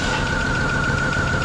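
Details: 2008 Hummer H3 idling with shorted ignition coil number 5 unplugged, as it blew fuse 33 and caused a crank-no-start. Lumpy, uneven idle with a thin whine on top, missing on that cylinder until the coil is replaced.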